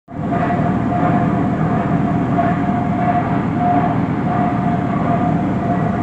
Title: 1917 Minneapolis 40-80 Tractor First Rolling Over After Rebuild